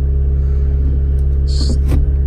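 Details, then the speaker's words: Toyota Auris just after a second-hand gearbox replacement and gear oil change, idling while the clutch is worked through the gears to circulate oil: a steady low idle with light shift clicks. Engine and gearbox sound smooth and healthy. "well it started lovely we're gonna do it just gonna go through the gears"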